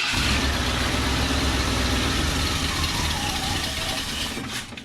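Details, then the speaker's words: 1971 Ford F100 4x4 with a Motorcraft 2100 carburetor, started cold in a heated garage at about 55°F: lumpy, uneven running for about four seconds, then it fades and stalls, failing to hold idle. The choke and idle setting are suspected. "see how it doesn't want to stay running what's the choke do"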